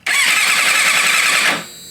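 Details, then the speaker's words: Final-cylinder compression test on a four-cylinder motorcycle, one of five bought, with the plug out; brief even cranking about 1.5 seconds with steady compression pulses; all cylinders looking very good, plugs show no oil. "I would have to say we are looking very very good"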